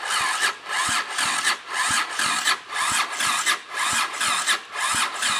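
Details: 1979 Honda CX500, formerly seized, electric-start cranking on a freshly connected battery before the exhaust is fitted. Slow, even cranking pulses about once a second; it tries to catch but never fires. Cranking without starting.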